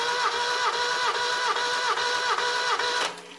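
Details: 1975 Satoh Elk 550G tractor, Mazda 4-cylinder liquid-cooled gas engine, stone cold, plugs out, compression test: even starter cranking about four strokes a second, seven or eight equal beats; uniform healthy compression.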